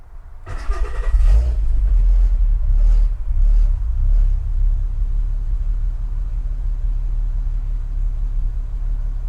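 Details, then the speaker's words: VW Mk5 R32 Golf, warm start after fitting a new Bosch S4 011 battery (80Ah, 740 CCA) in the boot, boot open: it catches and settles into a slightly wavering, fluttering idle as the throttle body relearns after the battery disconnect. "You'll probably hear the fluttering on the idle there. That's just the throttle body adjusting and learning itself back again."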